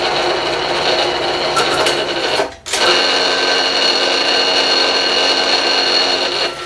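A steady high, dry whirring chatter that dips briefly and returns; a worn drive belt is chattering in low-speed back gear.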